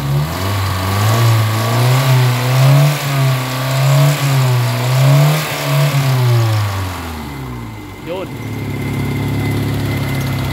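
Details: Kia Pride about 8 minutes into XADO engine treatment run without shutting off, fixing white smoke, low power, vibration; smooth repeated rev swells settling to steady idle; smoke now much reduced from earlier heavy smoking.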